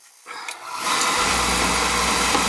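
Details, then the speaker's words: Oil-fired boiler burner, previously starting and stopping after pump pressure was raised and burner head cleaned, catches with a soft whoosh into a steady even roar; normal light-off. "Fire it up nicely."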